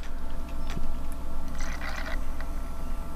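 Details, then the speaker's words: Panasonic 3DO FZ-10 after the seized-motor and grinding repair, microphone near the console: a quiet hum with light clicks and a brief soft seek whirr while a game loads, no grinding or stuttering; normal disc loading. "there is no grinding things take a while to load kind of ridiculous"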